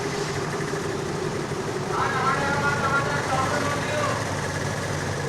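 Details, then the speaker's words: Hero Pleasure scooter, 16,000 km, after repair of a no-start (easy kick, oil added to plug), now starting on kick and self-start: steady, fairly even idle with a light quick putter and no misses; idling normally. "Friends బండి అయితే ఇప్పుడు ready అయిపోయింది ఇబ్బంది లేదు pick తో start అయిపోతుంది and self కూడా start అయిపోతుంది"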